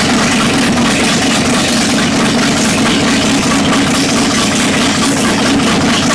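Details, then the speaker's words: Abandoned 1960 El Camino, unregistered since 1979, running on open headers after vacuum leaks were plugged and choke held open: loud V8 idle with loping, uneven beat about twice a second; owner suspects an aftermarket cam, unconfirmed. "I think someone put a cam in it I don't know that's what it sounds like ah open headers sound like cams yeah"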